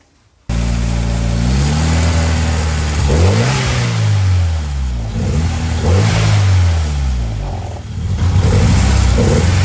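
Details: Ford Escort Cosworth being prepared for a road test: engine blipped repeatedly, with revs rising and falling in a lumpy, stuttering beat under the exhaust; a misfire on cylinder number 1.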